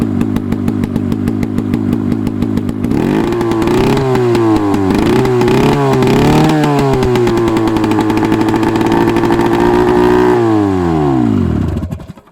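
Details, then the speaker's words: Hirth 440 snowmobile engine from a 1972 Snowjet, run on the bench with a swapped-over carb and temporary fuel hookup. Three seconds of quick cranking, then it fires into a loud, rasping buzz that surges and settles; it runs. "She's done. She runs."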